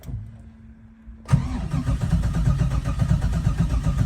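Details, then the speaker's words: Engine on a Holley Terminator X EFI system: the starter turns it over at a steady rhythm but it never fires; crank no start, with low battery voltage sag dropping out the key-on relays. "So, you can hear the engine trying to start. It's turning over, but it's not cranking."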